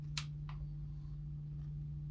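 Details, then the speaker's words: Canon AE-1 after the shutter squeak/slow shutter fix with a tiny drop of lubricant: two crisp quick clicks over faint hum, no squeak or drag, shutter now firing fast. "so now when we release the shutter it shouldn't go pretty quick panel yep you see that see how quick it is now"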